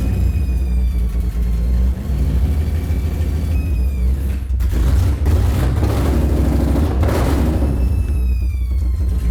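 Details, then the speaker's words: Aston Martin V12 swapped into a Fox Body Mustang, after an ignition map change: it fires right up and revs strongly and evenly with no misfire pops, sounding like it's running on all cylinders; the tune may still need fuel adjustment. "That thing sounds good, huh? Sounds good. Dude, it fires right up now."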